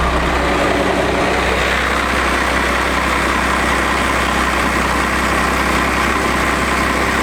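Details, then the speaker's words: 24-valve Cummins diesel, started after sitting a couple of days, reported to have stopped driving and leaking oil or coolant: starts without trouble and holds a deep, even diesel clatter at idle with no misses, knocks or hunting; normal idle. "let's see if it'll start up here first start it up no problem"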